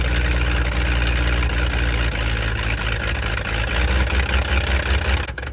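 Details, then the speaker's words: Abandoned 1979 Ford F250 fed fuel through the mechanical pump: loud, lumpy running with an uneven beat that fades as it burns the fuel and dies, won't idle; owner suspects a stuck choke. "all right well it uh burned all that fuel real fast doesn't want to idle kinda sounds like the choke stuck that would make sense i guess"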